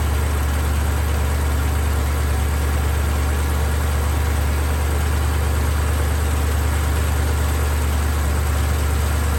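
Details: BMW X5 E70 with the drive belt removed: smooth, even low idle with a steady drone and no front-engine rattle, confirming the noise came from the water pump's worn bearing, which has play on its pulley; the engine was not overheating.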